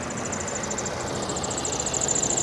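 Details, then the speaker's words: Hummer H2 at salvage auction, about 30,000 miles: harsh rough roar with wavering high whistle building toward the end, shut off quickly; abnormal noise, cause unknown. "uh-oh hold on that don't sound good let's shut that off let's just shut it off"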